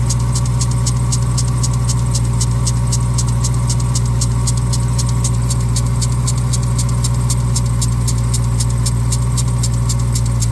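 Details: 2021 Dodge Durango Hellcat at cold idle: fast, even ticking chirp (about 220/min) over the engine rumble from a worn lower serpentine belt tensioner bearing; replacing the accessory belt tensioner fixed it.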